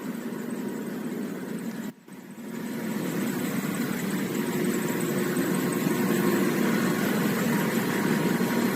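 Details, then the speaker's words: Blower V-belt drive with misaligned motor and impeller pulleys, belt loaded on one face only, throwing black belt dust: steady blower roar with a thin faint squeal as the belt slips. "보면 이거 같은 경우에는 풀리가 안 맞은 정렬이 안 맞은 경우예요"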